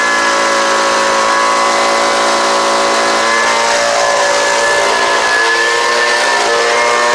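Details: Homelite UT09520 two-stroke trimmer after carburetor replacement, warming up: high buzzy note holding steady with small rises and dips in speed, no bogging or cutting out; runs properly, owner thinks slight tuning could help.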